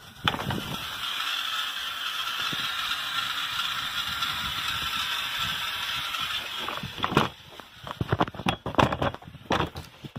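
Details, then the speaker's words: Well house on a low-yield well with 1HP shallow well pump, cycle stop valve and backwashing filter feeding a 500 gallon tank: steady high hiss of water forced through a valve with scattered clicks and rattles; the valve makes the noise, cause suspected. "and you can hear the dull valve making all the noise in here"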